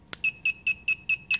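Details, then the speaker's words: ALEKO AC-1400/AR-1450 slide gate opener with KZB-13 control board: after an LM-123 remote button press, a click then six quick high beeps, meaning the board receives the remote signal but the remote is not programmed to it. "gonna get that beeping sound that pretty much just tells you that the control board is registering the remote control but it's not actually programmed to the remote to the control board"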